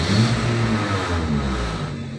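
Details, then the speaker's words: Nissan X-Trail T30 after idle relearn procedure fixing RPM surging, AC on: engine hum eases from a slightly raised note to an even pitch without hunting; idle now normal. "oke sudah berhasil ya temen-temen ya rpm nya Normal"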